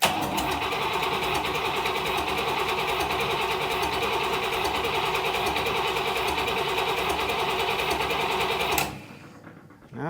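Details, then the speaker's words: Buick Nailhead V8 in a vintage rail dragster, after a carburetor change: steady starter whir with even compression beats for about nine seconds but no firing; cranks without starting. "let's see what we got still nothing it's trying okay I got gas in my it's barely it's trying to do something"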